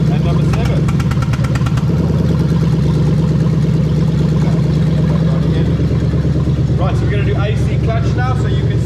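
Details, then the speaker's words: Lexus GS430 3UZ-FE VVT-i V8 swapped into 2002–2005 IS300 with R154 manual, new harness: steady low idle turns uneven with a missed beat as an injector is unplugged, deliberately testing each cylinder fires. "i'm going to unplug one at a time and we're going to see the engine misfire as i plug unplug each one that's going to let us know that all the cylinders are firing"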